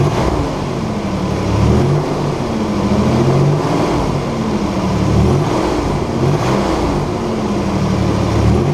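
Car engine revving up and settling repeatedly, with a smooth, even exhaust note and no ticking, puffing or rasp between revs.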